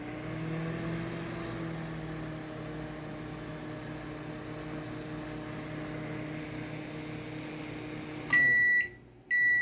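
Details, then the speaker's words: Panasonic microwave after replacing a faulty magnetron that caused an ugly noise and no heating: steady even low hum without rattling or buzzing, then stops and beeps; repaired, normal operation. "nós vamos colocar aqui 10 minutos e você vai ver que parou aquele barulho feio agora tá topzão o barulho veja"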